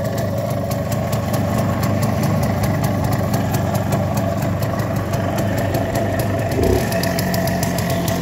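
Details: Minsk Leader 3.113 two-stroke motorcycle with an Indian Pako carburettor: a steady, fast, regular ring-ding idle with no knocks or misses; it runs much like an MZ and sounds healthy.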